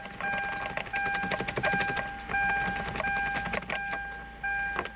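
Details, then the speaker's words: 2009 Hyundai Santa Fe after replacing the ignition switch that caused a random starter screech while running in park; smooth steady idle with keys jingling and a chime, and wiggling the key brings no screech, so the fix worked. "So let me start it up, and then I'll wiggle the key, and no more god-awful screeching."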